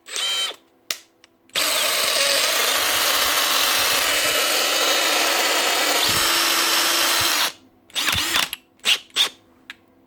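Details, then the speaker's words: Makita DHP486 brushless drill: the motor screams at high pitch, then a rough grinding rattle on changing speed, settling after a second or two. The planetary gear in the gearbox is slipping between speeds. "change the gear and it start slipping and then after a second or two it goes back to normal"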